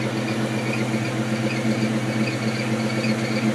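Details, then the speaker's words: 1997 Ford Mustang SVT Cobra (four-valve 4.6) after spraying the squeaking belt with WD-40: steady, even idle with a smooth low rumble and no squeal or chirp; the belt noise has stopped for now; normal idle. "well i did shut it up so i guess it works i guess we'll see how long it lasts"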